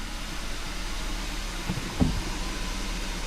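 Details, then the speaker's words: Kia pro_cee'd GT after clearing faults and resetting adaptive values: a weak, stumbling idle close to dying, now misfiring on every cylinder while the rotten-egg smell has gone; the new NGK spark plugs are suspected faulty. "pretty much dying what in the world is going on but with that misfire now being on every single cylinder and the rotten egg smell actually disappearing there's only one thing that I can actually check"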